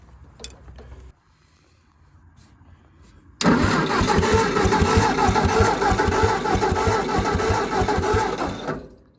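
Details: Old Ford Jubilee half-track tractor, sat five years, while chasing weak ignition spark after replacing a burnt part: steady starter cranking at about three even beats a second, no firing; turns over but won't start. Spark still weak, cause unconfirmed.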